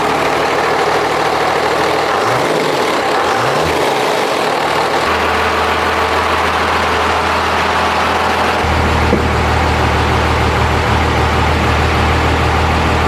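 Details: Diesel truck build after bleeding the fuel system and closing the filter bleeder valve: fires up and settles into a steady, even low idle with a firm rumble, no misses or knocks; running healthy.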